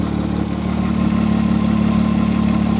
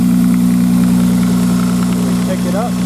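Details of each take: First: 1995 Nissan Maxima, fully warmed up: smooth, steady idle with a light, even injector tick on top, which is normal; engine sounds healthy. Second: 1995 Nissan Maxima, cold-weather start: light, fast plastic-on-plastic ticking about three or four a second over a steady idle, gone after about three minutes warm; owner mentions an exhaust leak and tensioner problem, cause unconfirmed.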